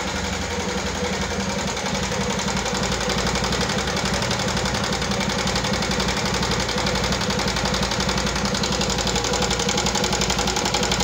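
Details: 2014 Yamaha Jupiter MX carburetor motorcycle, rough "kletek-kletek" sound: quick, fairly even clatter about three ticks a second over steady idle; top-end tick, possibly valve clearance or rocker wear, unconfirmed.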